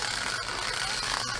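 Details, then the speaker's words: 1960s slot car set, sitting about 40 years: small motor runs with a high, steady buzzing whir and a fine rattle; owner unsure whether the gear hits the track or the worn-down tires cause it; gear rattle. "I don't know if it's just the the gear is hitting the tracker the tires are so wore down or or what it is"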